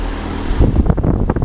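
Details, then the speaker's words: Restored Patton high-velocity air circulator fan after boiling the stator bearing and cleaning the motor internals: low rush of air with gusty buffeting, motor hum now inaudible, only blade noise from slight imbalance of about a millimeter; normal running. "the fan in general is just so much quieter like before you could actually hear the engine humming right like right now you can't hear it at all it's strictly the blades which are kind of unbalanced but they're not like that bad"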